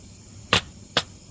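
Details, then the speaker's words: Burn barrel fire with two sharp cracks about half a second apart. Suspected to be a circuit board or capacitors bursting from an old broken laserdisc player, not confirmed. "weird must be popping on a circuit board it was an old laser dis player that was broke"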